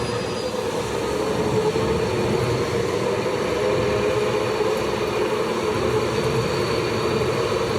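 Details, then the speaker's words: Industrial VFD cabinet air-conditioner fan motor running after a capacitor was fitted to test it: steady whirring with coarse gritty roughness, improving as dirt clears out; rough-running fan motor, cause not confirmed. "Are you kidding me? Does not sound very good. Sounding better now that the dirt's getting out of it."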